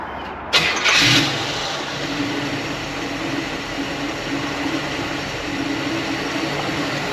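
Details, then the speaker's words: Carbureted V8 with the choke eliminated (always open) and the transfer slot set for idle: brief crank, catches, settles into a smooth steady idle, no misfire; idle near target, idle mixture to be fine-tuned. "It's idling about where I want it to. I think I'm going to adjust the idle fuel mixture just a little bit. It's pretty smooth, but maybe I can make it a hair better, if it gets a hair better."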